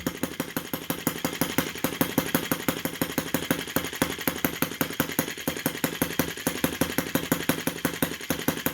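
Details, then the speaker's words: OKMO T16B brass half-tracked Lanz-type model tractor, small petrol engine, very first start using the drill cranking unit. Slow revving with crisp single-cylinder popping at about three beats a second, steady and even; healthy. "Really happy with the slow revving. Whoop. Oh, listen to that. Listen to the difference."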